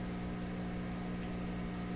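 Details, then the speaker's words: PYE 39HC shortwave broadcast receiver on shortwave in a middle band (about 9–11 MHz), at full volume: only a steady low mains-type hum with buzzy overtones and no stations, a fault that appeared during work; cause unknown. "And all we get is this. That's full volume. Just a hum."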